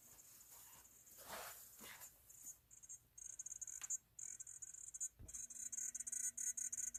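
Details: LG Chem RESU10H home battery with StorEdge SE7600A-US inverter, at night with inverter neither producing nor consuming power; faint high-pitched irregular ticking from back of battery like a Geiger counter; owner unsure if normal.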